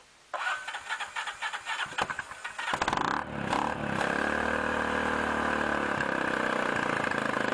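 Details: 2006 Can-Am/Bombardier DS250 ATV, first start in 10 years after a new battery and fresh gas with varnish cleaner, air filter not yet installed. The starter churns about two seconds, then it fires into a steady, even idle with no misses. Normal.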